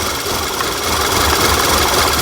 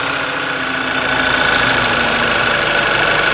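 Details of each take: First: 2011 VW Tiguan turbocharged, random misfire code P0300, air cleaner lid off with propane fed into the MAF: stumbling lean misfire at idle, smoother with added fuel; under-reporting MAF or induction leak suspected, smoke test planned. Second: 2011 VW Tiguan with a history of random misfires (P0300) and several parts already replaced. The idle is even and steady, with a smooth hum, light valvetrain tick and no misses or stumbles. Idle quality is good, ready for a road test.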